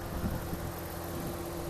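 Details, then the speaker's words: 2009 Dodge Ram 1500 5.7L after replacing low-pressure A/C line, recharging with refrigerant at 25 psi: steady idle under even fan whoosh, fan and clutch fan spinning, no cycling clicks or squeals; normal A/C operation. "okay guys so we started putting some refrigerant in there uh 25 psi as of right now you want to be in between 25 and 50. if I go up to 40. but uh my band's on and my clutch fan is spinning"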